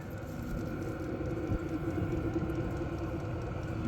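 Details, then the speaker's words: HCALORY 8 kW diesel heater on a 12-volt battery (about 64%), fully running after start-up: steady even rush of fan and burner on low, no surging, popping or knocks; running normally. "Anyway, guys, she sounds like she's fully running."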